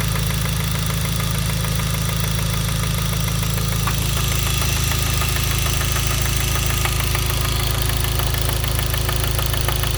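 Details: Hyundai Genesis 2.0T at idle: hard, regular knocking about four per second; spun rod bearing after poorly made oil pump failed lubrication, with no oil light, pressure warning or limp mode.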